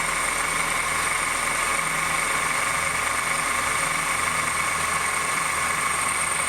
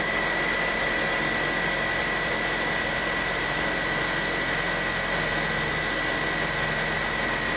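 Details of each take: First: 2008 Honda New Civic, cold engine at low rpm, accessory belt tensioner already replaced twice: a steady high bell-like ringing whine with a metallic hiss, like a bearing, over a quiet idle. The noise persists; worn power steering pump bearing. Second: 2008 Honda New Civic, first cold start of the day after cleaning the reservoir and changing the fluid: settles into a steady, even idle with no bell-like bearing whine or belt squeal. Engine sounds healthy after the repair.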